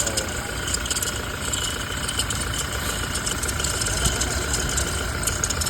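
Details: Toyota Fortuner diesel at cold idle: thin steady squeal over the clatter, present when cold; worn alternator pulley making the noise, pulley replaced.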